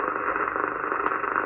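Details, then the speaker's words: Cobra 2000 GTL CB radio on an aerial, receiving after first showing no receive; the frequency counter needs a rebuild: even, band-limited hiss from the speaker with no dropouts or crackle; the radio is receiving normally. "So we do have receive."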